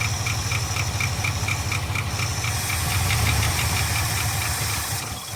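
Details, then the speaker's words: Abandoned 1975 Ford F500 rollback, first run after 17 years in a field, no radiator so only a short run: a light sharp tick about three a second keeps time with the idle; owner thinks one rocker on this side, other side quiet. "i really think i only hear one rocker on this side making ours i don't hear nothing over there"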